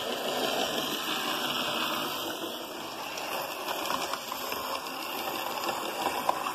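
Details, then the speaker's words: Motor of a Hornby Class 47 model locomotive running after cleaning and servicing: a light, even whirr with faint clicking that holds steady. It still needs a further strip-down and cleaning. Normal motor running. "okay and there we have it then after a lot of cleaning and faffing and waiting i mean literally waiting of the locomotive we've got something which resembles stairwell running"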